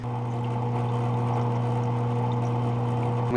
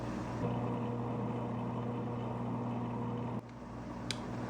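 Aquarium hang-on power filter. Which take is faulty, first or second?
first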